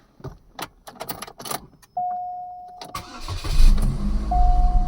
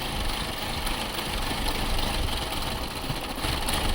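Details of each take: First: 2006 Chevy Cobalt with P0068/P0106 MAP codes and random misfire codes, MAF, MAP, coil and upstream O2 sensor replaced: a few clicks, a short crank, then a clean catch into steady, even cold fast idle; it runs fine cold until idling down warm. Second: 2006 Chevy Cobalt with codes P0068, P0106 and P0300 and an erratic idle, just after the MAP sensor was unplugged. It idles lumpy and unsteady with a stumbling beat, now a dead misfire; owner suspects an intermittent wiring issue.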